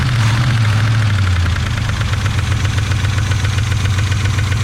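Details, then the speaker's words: 1980/81 Chevy truck engine after sitting about 29–31 years, running without the number one cylinder: rough, lumpy idle with an uneven knock about four times a second. Owner suspects an over-tight rocker or a sunk lifter. "not too bad i can tell you what's wrong with it but she does run ish"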